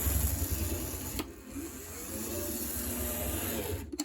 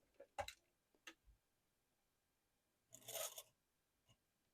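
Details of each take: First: Vintage Varney F2 HO scale locomotive on test run after motor oiling and reassembly: steady small motor whir with light gear buzz and faint track rumble, smooth, no binding; runs slightly faster in reverse than forward. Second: Vintage Varney F2 HO scale locomotive motor on test with a blue box controller: short bursts of harsh, high-pitched, scratchy whirring; the motor sounds dry and is given a drop of oil.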